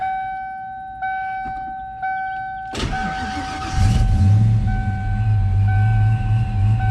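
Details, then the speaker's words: 1993 Ford Mustang Saleen SA10 chassis, supercharged, after replacing the fan clutch, MSD coil and supercharger belt: chimes, crank, catch and steady even idle with the previous fan roar gone; normal idle. "oh yeah that's a lot better no more roar from the fan"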